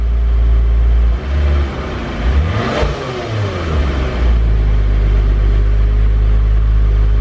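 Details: Honda S2000 brought in because it won't go into gear with the clutch pressed. Startup clip: deep, even idle, then one quick throttle blip that climbs and falls back smoothly with no rasp or rattle. Healthy, normal exhaust note.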